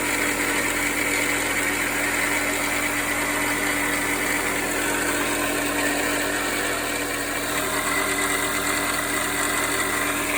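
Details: 2010 Audi A4 2.0L TFSI Quattro (CAEB) idling with a constant metallic clanking rattle and clatter over a steady buzzing hum; began as a few seconds of knock on cold winter start-ups and worsened. Owner suspects timing chain, but tensioner not fully extended and upper chain sprocket measurement within spec (about 124.8 mm).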